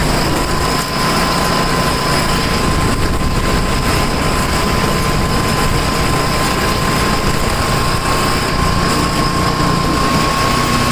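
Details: Tecumseh snow blower engine, started after sitting 10 months, with new adjustable-mixture carburetor, throttle at high speed: steady even drone with no surging or misfires; normal running.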